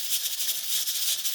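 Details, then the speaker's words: Pressure cooker on a stove with heat set too high: the weight rocks nonstop with a fast, hard hissing rattle from excess pressure. "ately you're going to start seeing pressure build and that thing rocking see it now if you if you let it go too far I mean the reality is this should blow and then you can have a mess on the ceiling before this whole thing just blows up"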